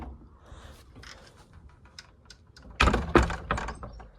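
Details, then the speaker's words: Arrow 303 door closer on a warped gate with a lock on the skate: brief rustle as the gate swings, then a quick solid thunk and rattles; closer set to quite a fast closing speed. "But here's this one. It's on quite a fast speed."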